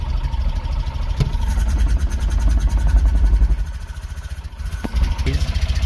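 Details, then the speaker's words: Tata Nano CNG idling with a faulty sensor's coupler unplugged (O2 sensor suspected): idle pulse uneven with occasional stumbling or dropped beats; mild misfire remains but less than before. "और coupler निकालने की वजह से थोड़ा मतलब गाड़ी एक miss firing कर रही है। लेकिन जैसा गाड़ी पहले कर रही थी वैसा गाड़ी पहले जैसा नहीं कर रही है।"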